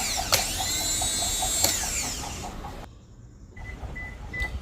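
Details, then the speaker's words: Used junkyard replacement starter for a 2008 Lexus GS 300 with no-crank complaint (old starter faulty), bench-tested before fitting: high whine with rapid ticking as it spins freely, then cuts off cleanly; normal starter operation. "Car is good cranking thank you for watching"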